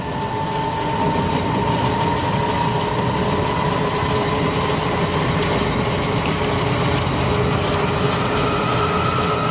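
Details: 1972 Grob 4V-24 24-inch 3 HP vertical bandsaw, variable speed drive sped up from the slowest setting: smooth hum whose pitch climbs gently, no rattle or knocking; quiet, normal speed change.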